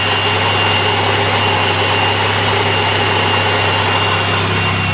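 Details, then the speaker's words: 1996 Buick LeSabre, 210,000 miles, at idle: constant hiss and a faint high-pitched tone over the engine hum; owner thinks it comes from the transmission but isn't sure; noise at idle, source unclear. "I don't know if you'll be able to pick this up but there's a sound coming from here and I I I think it's coming from the transmission but it's kind of hard to tell"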